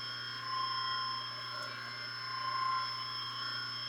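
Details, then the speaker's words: 120V electric motor, first test run after being wired to a forward/stop/reverse switch, running forward: smooth, steady low hum with a faint constant high whine, no growl or labouring, not getting hot; motor running normally. "Not making any humming noises. It's not getting hot. Sounds quiet. It feels good on it."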